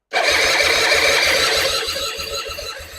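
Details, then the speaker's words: 2005 Suzuki Intruder 250 LC bought as a non-runner, fresh petrol, tank on reserve, choke stuck, spark confirmed: the starter whirs with regular compression pulses about four a second, slowing as the battery sags, and it never fires. "Okay, guys. Doesn't start clearly. I think we're going to have to check for"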